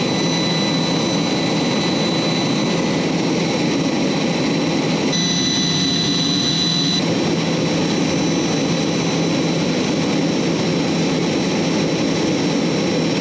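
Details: J79 jet engines on a ground run after refuelling and fixing leaks, to verify the leak repairs; smooth, steady turbine roar with a constant high whine, no surging or rattles. Normal jet engine idle.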